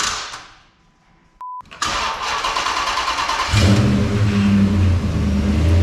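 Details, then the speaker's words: 2006 Dodge Magnum R/T, about 100,000 miles, first start after crash repairs and new motor mounts: cranks, catches and settles into a steady low rumble with clean throttle blips. Healthy running after repair. "so there we go it's alive so there we go it's live uh super excited that everything went back together on the front of the motor"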